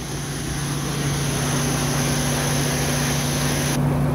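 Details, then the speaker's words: Older Toyota pickup with manual clutch, idling in neutral after start: smooth, even idle with steady hum and fan-clutch whir; no timing belt slap, knocking or valve ticks, exhaust manifold not cracked; perfect running example. "running good no timing belt slap no knocking no valve ticks [Music] it's a perfect running example"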